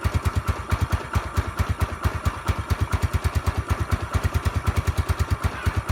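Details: Mio Sporty scooter hard starting: sharp, evenly spaced chuffs about two per second over a low thump, never settling into a clean steady idle.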